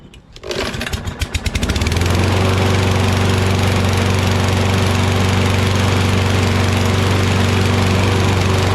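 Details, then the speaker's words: Curbside Toro Recycler XT675 Kohler mower after a wash, new wheels and carb spray: pull start catches within two seconds, then settles into a steady, even high-speed drone with no misses; runs great. "Awesome. It runs great."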